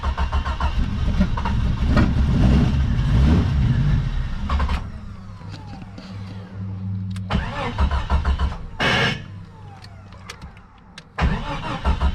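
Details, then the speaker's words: Jeep Cherokee XJ being revived, on a jump pack: cranks and fires into a rough run, then dies as soon as the key is released, with more cranking after; faulty ignition switch. "[Music] as soon as you let it go it dies so I picked up a couple ignition switches"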